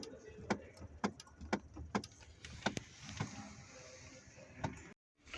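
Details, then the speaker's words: 2008 Chevrolet Epica 2.5 automatic in Park: sharp single knocks from the transmission, about one or two a second over quiet idle, each time the brake pedal is pressed; check light came on, cause suspected, not confirmed. "мне сейчас когда в режиме парк нажимаешь тормоз стучит в коробке почему-то Кто знает почему такая может быть режиме парк нажимаю педаль тормоза какой-то хруст появился"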